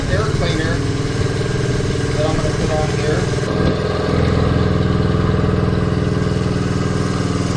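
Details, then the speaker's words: 1969 Honda CT90 Trail, 53-year-old non-runner, before its oil change (oil black): small single ticks over with a steady, even putter about three beats a second, no misses or knocks; normal idle. "here there we go now I'm happy very happy sounds good too"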